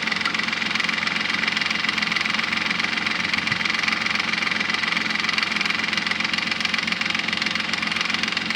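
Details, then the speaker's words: Nissan Maxima 3.5 at idle, before Motor Medic flush: light, even, sharp high-pitched ticking about four per second over a smooth idle; loud lifter tick, worst at first start and quieter after 20-30 minutes, front or rear bank unclear. "let you guys hear then lift your noise it's pretty loud I can't really tell if it's coming from the front of the back"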